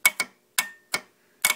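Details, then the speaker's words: Gravely 430 with Onan NB engine, electrical revamp: starter solenoid energized via jumper wire with charger connected, crisp clicks in pairs and singles, solenoid good; fault traced to bad ground connection to the frame, terminal cleaned. "worked you can hear it working so well the solenoid is good"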